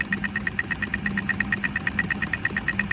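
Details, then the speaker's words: Centurion ARV magneto, dried out in the workshop for weeks, spun on the bench by a drill: steady sharp spark ticks over the drill drone, still sparking at very low rpm, so it should spark during slow cranking. Normal magneto spark. "it's hard to see but it is still sparking at a very low RPM so I know that that Magneto will be sparking even when the engines turn over very very slowly so in theory that's good"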